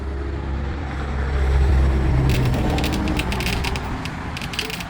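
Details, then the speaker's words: Original first-generation JBL Boombox crackling and popping a couple of seconds after power-on over a low hum; same crackle with substitute test drivers, so the amplifier board is faulty, not the drivers. "You heard that? I got the exact same crackling on both of those and on this."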